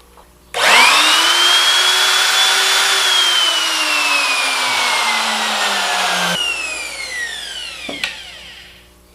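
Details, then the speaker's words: Makita 3600B router after replacing screaming bearings: motor spins up to a clean, steady high whine and coasts down smoothly with no rumble or grinding; normal running. "that sounds so good I love it when we succeed"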